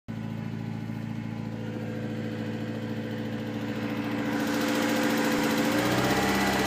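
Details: BMW E30 318is M42 engine running: a light, steady tick about 3.5 per second that speeds up with revs, likely top-end ticking, still present after replacing the timing chain tensioner.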